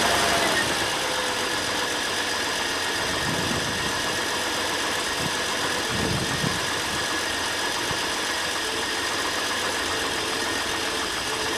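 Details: Ford Falcon just started after sitting all winter, fuel cell: fast, loud running with an uneven, lumpy beat and irregular thumps; rough running at first, owner blames the winter sitting.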